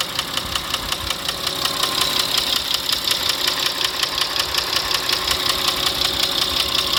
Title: стук в двигателе